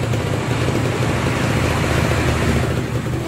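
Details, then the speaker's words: Kawasaki Ninja SS restored after flood damage, with the wiring redone and an oil pump problem noted. An even, steady low burble with no knocks, rattles or speed swings; a smooth, healthy normal idle. "selesai pokoknya mantap gan mantap ini halus konversinya"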